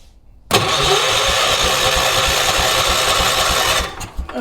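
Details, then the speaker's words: 1980s ORVCO Transtrack UTV being revived, spark present and fuel in the carb bowl, owner unsure why: starter whirs with a steady uneven chug about three seconds, never catching; cranks without firing. "So, I can see that I've got fuel in the bowl. So, this should theoretically just start right up, but it's not right."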